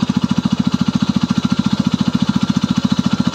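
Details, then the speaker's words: Engine knock at idle after adding 10 ml plus 10 ml of RVS additive, compression 15.5: fast even thudding about a dozen beats a second with a dull knock each beat, now less sharp; source not pinned down. "вот залил еще 10 кубов всего 20 будет стук не такой стал резкий"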